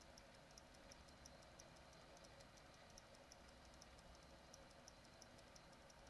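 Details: XFX 450W Pro PSU after a GPU swap to an R7 250X: faint ticking about three per second over a quiet hum; owner suspects the PSU is faulty or can't handle the new GPU.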